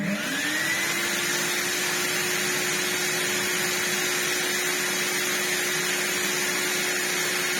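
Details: Brand new, never-used Vax New Wave HF1400 vacuum after a fix to its broken motor, which kept burning out: steady, smooth motor whine at one even pitch after spin-up, no grumble or catching; runs normally.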